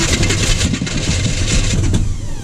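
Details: 1980 Chevy K30 with a small-block 350, first start attempt during a snowstorm with a jump boost: heavy, steady starter churn with no firing pulses; it cranks but won't start.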